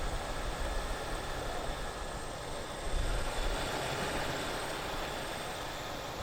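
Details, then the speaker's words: 1989 Lincoln Town Car V8 at idle after a restart, with new AC lines, hoses, plugs, wires, fuel filter, radiator and alternator: even, steady low rumble with no misses, knocks or ticks; engine starts easily and idles normally. "now let's start it up again starts up very nicely it's normal powerful strong just as it"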